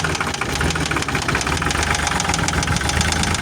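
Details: Cat CB24B diesel after a no-start caused by the starter plug coming loose, probably from vibration; with the plug refitted it starts and idles with an even, quick diesel clatter, no misses or surging.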